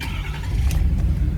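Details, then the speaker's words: 2016 Ford Super Duty F-350 DRW 4WD Lariat 6.7L diesel, about 171–176K miles, cold start heard from outside. It catches at once and settles into a deep, steady rumble without stumbling or rattling; healthy. "So starts right up, sounds great."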